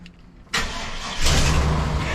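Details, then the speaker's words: 1996 Chevy dually truck, first start after the rear ground was reconnected and the fuel pump heard priming: brief crank, then it catches at once and settles into a steady idle. Normal crank and start. "Hey! All right! Sounds good."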